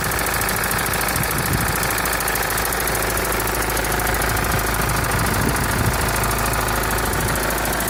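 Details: Mitsubishi L200 4D56T diesel idle with a sharp rattling knock at an even beat from one injector. Started at 70,000 km; valve clearances were set and injectors bench-tested normal at 98,000 km, but the knock remains and disappears when the throttle is released while driving.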